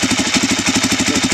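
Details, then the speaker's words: Suzuki DRZ400 after swapping in an eBay engine, replacing one with a major leak and possibly low compression: steady, even single-cylinder thump at about nine pulses a second, no knock or rattle; started first try, healthy idle, only an oil leak noted. "the engine was 7 700 bucks um started right up the very first time I hit the button"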